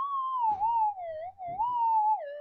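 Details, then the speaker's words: Minelab GPZ-7000 metal detector reported as noisy, tested in workshop; wavering, warbling tone near one kilohertz rising and dipping as it picks up a vacuum cleaner running nearby. Electrical interference from nearby AC motor. "I don't know if you can hear the vacuum cleaner, but I can hear it sucking away out there. And uh yeah, it's probably going to cause issues."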